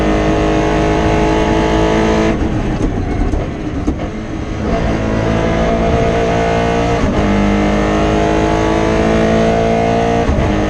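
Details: Rally car at high revs on the Padmore Village to Golden Grove stage, Rally Barbados 2017, stumbling and cutting unevenly under load; misfire from a broken injector wire around the stage's halfway point.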